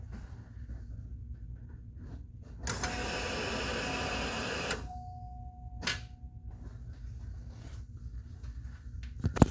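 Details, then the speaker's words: Chevrolet Corvette Z06 with 6.3 stroker and A&A supercharger, upgraded fuel pump: key-on gives a steady two-second whir that stops cleanly, then a faint tone; fuel pump primes normally. "Well, hoppin'. I think you guys will agree that sounded like a fuel pump came on."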